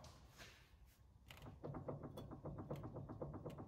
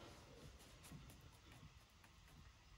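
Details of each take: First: Isuzu NPR steering gearbox, drag link removed and pitman arm rocked by hand: rapid, even clicking from excess worm gear play, fixed by adjusting the gearbox adjuster screw. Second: Isuzu NPR steering gearbox after worm gear adjustment via slotted stud and jam nut: pitman arm rocked back and forth gives only soft low rumble, no clicking or slop.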